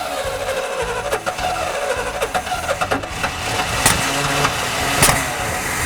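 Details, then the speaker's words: 1973 Chevy square body truck V8, sat 20 years, first start with rat-chewed, loose spark plug wires: catches and runs choppy and uneven with dropped pulses; sounds terrible, one cylinder not firing, several suspected misfiring. "so we put the plug wire on and steve cranks it over and it starts up but it sounds terrible and i have a feeling there's so many cylinders misfiring"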